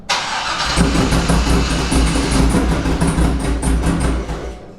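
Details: 2004 C5 Corvette V8 after a BTR Stage 2 cam install, before tuning: cranks, catches and settles into a choppy, lopey idle, steady with no knocks or ticks; normal cammed idle.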